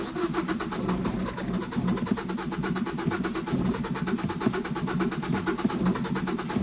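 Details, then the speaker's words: 2012 Ford Focus manual, flooded to the roof by a hurricane and sat for months, first start: it fires and keeps running slightly rough with an uneven pulse. Much water comes out of the exhaust; owner thinks the alternator may be seized. "there it goes oh it fired and I heard water yeah so water came out of the exhaust a lot of water came out of the exhaust so there's just a lot of water in the exhaust system right now"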